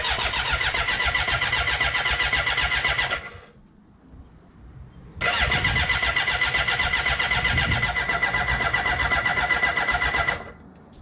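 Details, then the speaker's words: BMW K100 café racer build on a 13.1 V lithium polymer battery taken from the XV, after an oil fill: steady starter cranking at about four turns a second in two bursts, with no firing. This builds oil pressure until the oil pressure light starts going off. No leaks. "That oil light, pressure light hasn't gone off yet. Ah, it started going off then."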